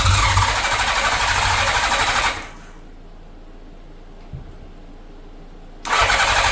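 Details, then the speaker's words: 1983 Honda GL1100 Gold Wing flat-four, revived after 9–10 years in a barn, warming up on partial choke: runs smoothly with a quick even beat, drops out briefly, then comes straight back pulling strong and clean. Normal running. "I still got the choke on a little bit while warming it up all right choke off I mean that motor sounds very good nice and"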